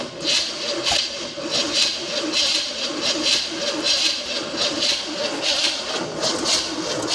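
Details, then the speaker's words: 1972 Chevrolet Chevelle, 350 V8, 3-speed automatic, sitting since 1982, fan and water pump pulley loosened: labored, uneven cranking at about one to two turns a second that never fires. Battery suspected dying, not confirmed. "Well, the battery might be dying"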